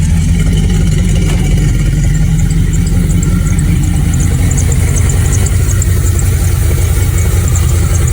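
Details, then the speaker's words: Carbureted V8 project truck, cold, after plug change, carb tuning and PCV system work; steady low idle, no vacuum-leak hiss, faint belt squeak, oil pressure and volts good, normal idle. "Don't hear any hissing. Hear the squeak from my belt. That's good."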